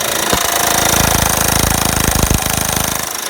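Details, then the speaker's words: Honda Pilot V6 running with a loud, fast hammering knock, about four taps a second. The owner says a water pump replacement kit and a new serpentine belt fixed it rather than a new engine, but this is not confirmed. "okay YouTube here we go on the pilot really bad knocking tapping crazy noise oh"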